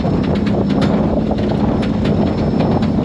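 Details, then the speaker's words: Pathmaker rig with its 6th Dana 300 transfer case broken on first rock-crawling obstacle, driven home: steady droning gear whine under load with irregular knocks and clunks through the drive; case not split. "that's sounds absolutely terrible not going to lie this is not the first time I've driven home with my Daya 300 make it sounds like that"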